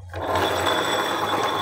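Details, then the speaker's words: 2015–2016 Honda Beat FI ESP scooter, CVT opened, rear wheel turned by hand: dense gritty rasp from the CVT pulley shaft, which is rough with a badly wobbling rear sliding pulley. "teman-teman di sini teman-teman bisa melihat bagian as pully CVT ini ya kalau mekanik bengkel putar rodanya dia kasar nih"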